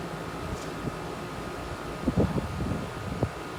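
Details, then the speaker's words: 2016/17 Rheem 2.5-ton dual-zone central AC unit on first start-up of the cooling season: steady low fan and compressor hum with a couple of soft clunks as it settles; running normally. "yeah so far they seem to be running good which is good"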